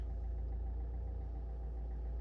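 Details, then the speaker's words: Alfa Romeo MiTo 1.6 diesel, auction car, first start after glow plug light went off, no warning lights: quiet, even idle with low steady rumble, no knocking or stumbling; normal idle. "It started. Sounds okay."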